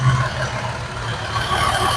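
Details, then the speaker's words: Jeep 3.6 V6 a week after switching to Valvoline Restore and Protect 5W30; a smooth, steady idle with an even low hum and no ticking or knocking, a normal idle. "It just runs so good. Man, I like these 3.6 liter engines."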